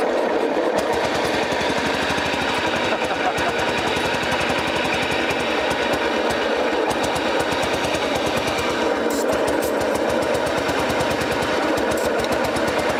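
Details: 1959 BMW Isetta, first start after sitting 40+ years: engine finally catches and runs with a busy, rapid clattering over a rough idle; an unidentified mechanical noise, guessed to be dirt and crud inside.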